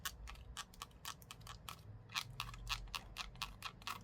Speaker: 여기 관절도 관절이고 손잡이 보면 들리시나요?이 플라스틱 삐걱거리는 소리.